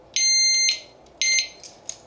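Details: Kovix disc lock, armed and then moved: two shrill high-pitched beeps, about half a second then a quarter second, then quiet. The disc lock alarm was triggered by movement.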